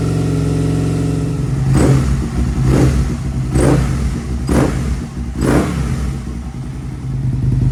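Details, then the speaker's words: 2002 Aprilia RSV V-twin barn find, stored 8 years, running after fuel-system cleanup with an upgraded battery: rough idle with a few sharp revs about once a second, then settling; fires cleanly on both cylinders, no fuel leaks. "so there we have it boys and girls she fires into life I was checking around it no fuel leaks"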